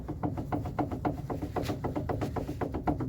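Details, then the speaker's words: Camper van brake, wheel rocked by hand: sharp hollow clunks about four per second from play in the upper caliper slide pin, which causes vibration when braking; fix begins with 13 and 17 mm wrenches. "C'est le coulisseau qui est en haut qui a du jeu. Vous voyez, on voit bien que ça bouge ici à ce niveau-là. Donc c'est lui qui fait la vibration quand je freine."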